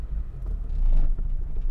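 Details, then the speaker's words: 1987 Nissan Be-1, manual, right-hand drive: once warmed up the engine won't stay running at idle without throttle, idling low and uneven, surging and sagging, breaking up and stalling; rough idle when warm. "you got to give it some gas once it's warmed up it doesn't like to go it just doesn't want to stay running it'll stay running with your foot on the gas yeah but here how it's breaking up"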